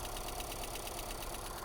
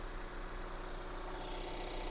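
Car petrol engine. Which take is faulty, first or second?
first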